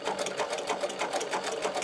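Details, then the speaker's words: Podolsk sewing machine driven by a servo motor, sewing leather with a Teflon foot, No. 150 needle and No. 15 thread; quick, even stitching clatter with a light steady hum, no knocks or binding: sews leather normally. "Теперь мы будем сшивать кожу на машине «Подольск». А двигатель приводится в движение сервоприводом."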